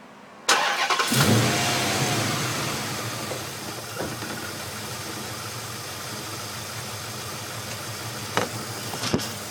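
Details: 5.7 Hemi V8 catches and settles into an uneven, lumpy idle with a slightly irregular beat throughout; rough idle, cause not evident.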